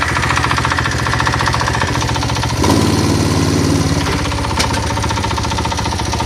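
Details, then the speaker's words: Single-cylinder generator engine after cover was realigned: small sharp uneven tapping at no-load idle that settles when load (lights) or throttle is applied; owner suspects bearings worn from cover offset, unconfirmed. "появился более свободный ход появился стук двигателя на холостом ходу чуть нагрузку даешь и либо газу либо я просто свет включаю на генераторе и звук пропадает"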